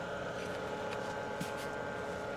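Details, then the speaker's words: Plenty Cool portable air conditioner in a workshop, owned since about 1999-2000, never any problems, running after startup but accidentally set to heat: quiet steady hum with faint constant tone, no rattles or cycling; normal running. "never had any problems with it though works every time I need to use it it's working"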